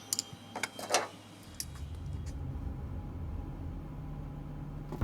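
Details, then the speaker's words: Fuel-injected car that used to idle rough and stall after air-conditioner use, after cleaning the throttle body, IAC valve and MAF sensor: steady, even low idle hum with no stumbles or dips; 18 miles driven smooth since. Normal idle after repair. "I've driven about 18 miles been running smooth as silk"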